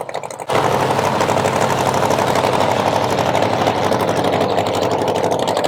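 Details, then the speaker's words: 1970 Chevy Nova SS funny car, 540 big-block with twin turbos: starts and idles lumpy and uneven, its beat stumbling instead of steady; misfire suspected in the front cylinder, number 2, valve cover to be pulled. "Did you figure out what was going on, Riley? I believe that front cylinder over there."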